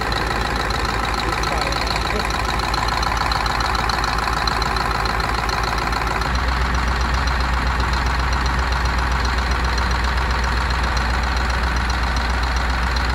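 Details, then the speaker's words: Rebuilt Scania DC16 PDE 16-litre 500 hp V8 diesel from an R500 truck, 1.6 million km, idling after repair. Smooth, steady low rumble with no knocks or misses: normal idle. "sau khi sửa chữa, chúng tôi để động cơ chạy không tải"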